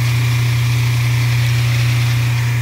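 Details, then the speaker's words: Kitchen garbage disposal with a backup: a steady loud motor hum with a coarse rattling buzz from something foreign caught inside, lemon peels; running it with hot water cleared the backup. Garbage disposal foreign object noise. "Sounds like there's something in here that shouldn't be. Got some lemon peels."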